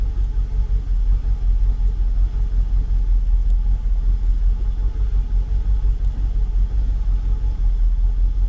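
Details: Jaguar XKR (X100) V8 with an intermittent rough idle, possibly cam position sensor related, idling normally at this moment. Steady low rumble with an even, unbroken beat: normal idle.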